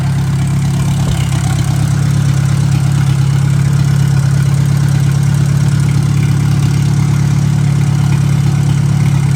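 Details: 1957 Hercules four-cylinder engine with magneto, revived and not yet hot, with 20 lb oil pressure: steady, even idle with a smooth low hum and no knocks or misfires.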